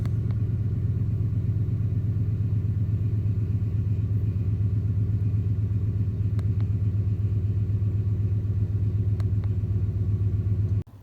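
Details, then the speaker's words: 2004 Ford F-150 4.6 L Triton V8 with codes P0300, P0302, P0306 after owner-replaced ignition coils: lumpy idle with a steady stumble in the low rumble about four times a second, misfire felt at idle; mechanical fault suspected. "now that we have the engine running you could feel the misfire let's scroll through some of our other live data"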